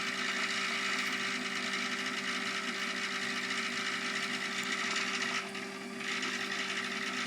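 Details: Davey D75A1 sump pump pumping very slowly, with suspected air lock and possible backward spinning: uneven, fast mechanical rattling and ticking over a steady hum as the pump vibrates and labours. Cause unconfirmed.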